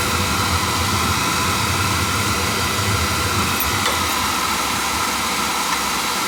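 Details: On a no-heat call, a small two-section McLean boiler whose burner started, stopped and made noises after pump pressure was raised (controls suspected) fires on a call for heat with a steady roar and light hiss, no pulsing; normal burner firing.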